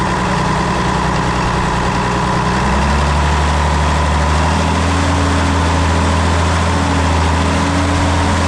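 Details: International D282 diesel in a Galion crane with a rebuilt Roosa Master DBG pump, at rough idle with an uneven puffing exhaust beat of about three a second. It runs poorly until warm, and the owner suspects a burnt valve or cracked valve seat on cylinder 1.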